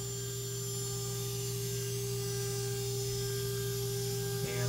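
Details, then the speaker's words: Water-cooled 1,500 W spindle on a 6040 CNC raised to maximum readout 400, near its rated 24,000 rpm: steady, clean high whine with a low even hum, no roughness or rattle, very quiet. Normal running at high speed. "so let's raise this all the way up and on this readout it's gonna be 400 so that's where that max is out and let's check this out that is so quiet as a nice sound to it"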